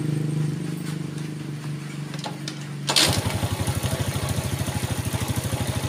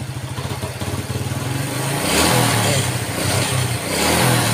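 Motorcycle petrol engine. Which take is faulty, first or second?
second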